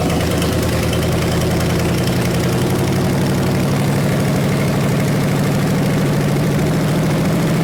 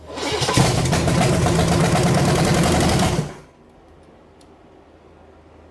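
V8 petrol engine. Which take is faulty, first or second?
second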